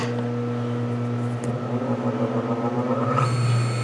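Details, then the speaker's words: Quarter-horsepower three-phase motor hand-started on single phase, generating its own third phase like a rotary phase converter; steady low hum with constant tone, shifting in character near the end. "almost as long as that's spinning it'll take off and it'll actually generate the third phase this is how a rotary phase converter works"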